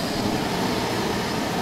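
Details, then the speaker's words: Kerosene/diesel forced-air heater on a 400 W modified sine wave inverter, about 125 V, 1.6 A, 110 W: even unbroken burner and blower roar with no surging, sputter or rattle; running normally, no smell. "it's a is running as far as I can tell exactly the same as it does off the wall power on this modified sine-wave burger is throwing up good heat"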